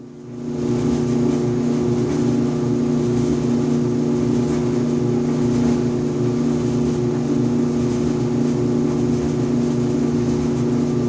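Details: Five-year-old Electrolux EIED55H dryer with a steady loud hum and a rough, uneven buzz and vibration, recurring every 45–60 seconds. Caused by a failed blower assembly 134690800, which was replaced along with the motor bracket 134707400.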